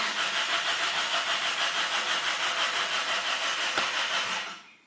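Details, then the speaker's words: Car that won't start: starter churns steadily at about three pulses a second and rotates the engine, but the engine never catches or fires; cranks, no start. "Engine, no any engine runs. Only starter runs and rotates this engine."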